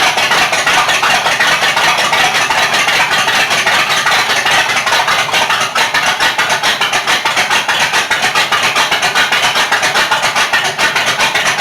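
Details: Rat rod with 440 RV engine after cam install and 20-minute 2,500 rpm break-in: loud choppy idle, uneven lope about two to three beats a second; normal lumpy cam idle.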